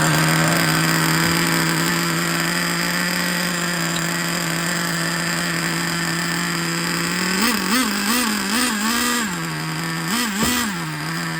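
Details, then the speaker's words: Used Traxxas Revo 3.3 nitro engine with glow plug retightened: steady high-pitched whine with clean throttle blips; runs well, though the throttle return spring doesn't fully close and an air leak is found; normal running. "sounds good something's Goofy with a throttle return spring it's not closing it all the way"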